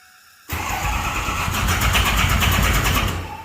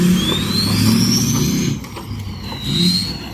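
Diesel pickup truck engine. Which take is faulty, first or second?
first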